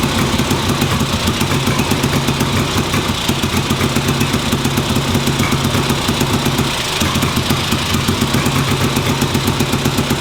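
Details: 1958 Ariel Huntmaster 650 twin motorcycle, run on the bench after recent purchase: even, brisk beat at about four pulses a second, holding steady without stumbling; healthy idle.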